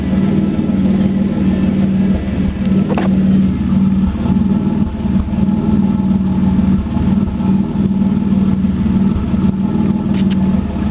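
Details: 3.8 Camaro at idle: a deep, uneven rumble with the exhaust note stumbling now and then, a cylinder misfiring because of a bad spark plug.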